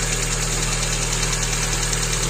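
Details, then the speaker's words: Hyundai Getz after timing belt replacement, first start: fast, light, regular valve lifter ticking from the top of the engine over a steady idle on cold start, before warm-up; owner says the upper idler pulley has heavy play and needs replacing. "все завелось все чудово на початку клапани клаци де розігріву"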